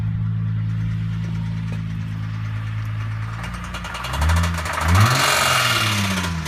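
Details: Holden VZ petrol engine idling and blipped: sharp repetitive knock about four a second that quickens with revs; owner suspects timing chain or bottom end, unconfirmed.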